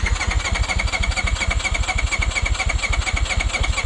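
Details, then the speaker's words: Two-cylinder off-road machine that lost power climbing a trail, smoking under throttle, fuel burning in exhaust: uneven, lumpy fast idle with lopsided beat and little pull; suspected running on only one cylinder. "i think it's only burning on one cylinder chris when you fire it up yeah i think it's just burning on one cylinder and not running on both sides"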